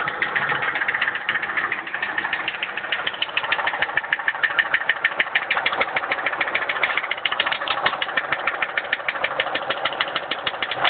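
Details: Mercury Marauder V8 at idle after the engine detonated and broke a piston: hard, steady knocking about three times a second.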